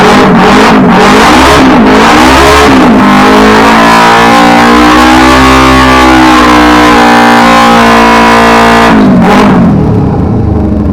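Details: Ducati 999 after stranding, engine cut out while riding, new battery fitted and cables and wires tightened: twin revs up, holds and settles back cleanly, pitch following throttle with no misses; running normally, owner suspects loose battery wires were the cause.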